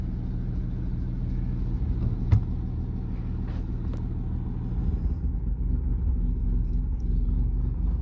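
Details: Original unrestored 1937 Plymouth Coupe, 201 cubic inch engine, about 64,000 miles, in neutral just after starting: smooth, even low rumble with no knocks or misses, normal idle.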